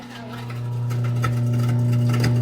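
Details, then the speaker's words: Garbage disposal that had been humming without spinning, after being freed from underneath: motor winds up within a second into a steady strong low hum with a light rattle; now running freely and working normally. "cut it off i'm bad but working that sounds weird don't it but it's ready to cut up some food"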